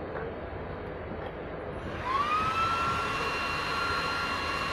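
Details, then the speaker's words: Cisco Catalyst 3560X network switch that won't power on or boot, no lights: its power supply fan spins to an abnormally loud, steady high whine; faulty power supply. "you can hear the noise that is coming from the fan which is this is not normal"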